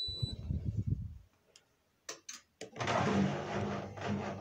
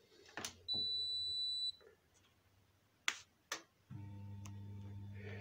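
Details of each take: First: Indesit IWSD5105 washing machine after replacing the faulty part that stopped it starting (door locked and hummed but no water filled): a few beeps and clicks, then the drum turns with a steady even motor sound on rinse; it now works normally. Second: Indesit IWSD5105 washing machine, no error shown; beep, two clicks as door lock closes, then steady low hum with no water rushing in: no fill and no start, caused by the water supply tap outside the machine.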